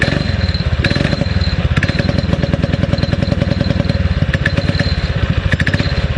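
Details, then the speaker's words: Predator 6.5 hp clone engine on a springer bike after carburetor rejetting and spark plug cleaning: steady fast single-cylinder thumping, slightly uneven exhaust beat that sounds like missing but feels fine on throttle; normal running. "yes sir I'm impressed I am impressed I uh I like to wait idols I like the way it responds it does sound like it's missing but I think it's just the exhaust note"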